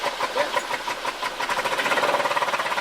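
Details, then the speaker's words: 1980 Porsche 924 with brand-new belts running lumpy and uneven, irregular pulses about three per second; engine stumbling, fuel pressure loss through the rear regulator suspected, possibly worsened by a smaller hose. Cause suspected, not confirmed. "It sounds like it's losing pressure through that guy"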